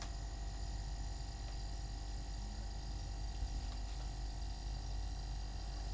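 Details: New Everglades compact refrigerator with freezer compartment, compressor just started: low steady hum with faint even tones, no knocking or rattling; normal compressor run.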